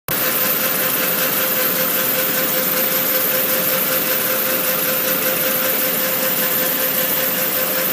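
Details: Yamaha R1 DV motorcycle at idle: loud steady hiss swelling and fading in a gentle pulse, louder on cold start.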